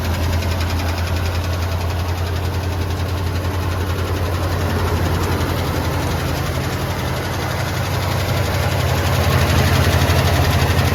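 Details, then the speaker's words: Old boat-tail Buick Riviera V8, first start after purchase: light, quick ticking over the low idle rumble, faster when revved; sounds like a loose lifter to the owner, valvetrain suspected, not confirmed; oil level and quality to be checked. "and it sounds like a loose lifter or something like that to me"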